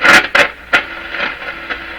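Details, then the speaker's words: Crosley 12B radio, initial checkout, tuning near 15 MHz shortwave: sharp crackling bursts and scratchy pops as the knob turns, then faint hiss; worn, dirty volume control. "Oh my gosh. We're going to fight with this scratchy control here."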